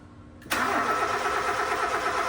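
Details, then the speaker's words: Nissan Sentra/Grandeur that will not start, with no power at the four ignition coils; owner suspected the computer box: the starter spins the engine with an even, steady churn but it never catches. "Ayaw umandar kasi napa-check niya na 'to. Apat na ignition coil daw ay walang kuryente kaya daw ayaw umandar kaya pinagdududahan nila computer box."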